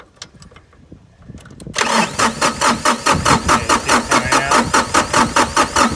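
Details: New Holland TC33 diesel tractor after a new fuel filter and fuel line and bleeding air at the bleeder bolt: cranks briefly, catches and settles into a steady diesel clatter with no stumbling, a healthy start.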